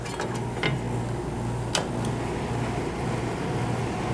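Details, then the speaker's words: Daikin/McQuay room HVAC unit cooling with compressor running, fan switched to high, room at 74°F: loud even rush of air over steady low hum, a couple of stray clicks, very loud near room entrance; normal high fan operation. "Now, as you can hear, it gets pretty loud, and it blows a ton of air. Now if I go to the entrance of the room, it is very loud."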